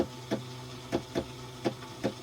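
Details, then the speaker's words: Yamaha jet ski that sat at a dock, spark plugs out, milkiness from cylinder 3: sharp isolated clicks about every half second to second, no cranking; starter engages but won't turn engine, later found a bad starter, not seized. "You hear the starter wanting to click a little bit every third or fourth push."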